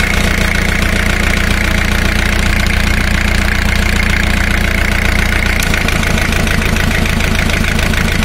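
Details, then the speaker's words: Diesel engine at idle during cylinder power balance test, high-pressure fuel line to cylinder one disconnected, measured with a digital tachometer: even clatter turns lumpy and slows; rpm drop shows that cylinder contributing power. "notice the drop in rpm let's put it back see there is a difference"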